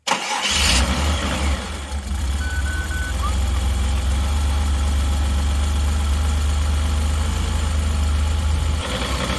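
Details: 2000 Mazda Bongo 2.5 V6 petrol at first start on purchase: cranks and catches, then settles into a lumpy idle that stumbles as if about to stall. Misfire at idle, cause not yet diagnosed.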